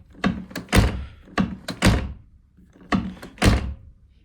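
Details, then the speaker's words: Golf tailgate closing after sound insulation: a few deep, dull thuds, solid and damped with no rattle or ring; it closes much more dully. Owner notes the handle or something else may vibrate, and a loose bracket had been dinging. "он закрывается с гораздо более глухим звуком."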